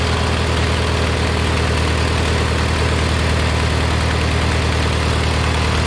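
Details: Kohler Magnum 20 after a carburetor rebuild, mixture screw turned in from about 1.5 turns out. Steady low single-cylinder idle thump, roughly three to four beats a second, holding even while the mixture is set. Normal idle.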